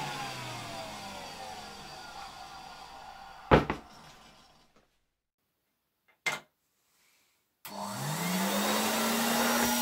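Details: 1966 Alfa K2 (A7F) vacuum with an SK-5b motor, reassembled and run on the table at slightly reduced voltage. The motor winds down, then restarts and climbs to a smooth, even, quiet hum with no rattles. It runs normally.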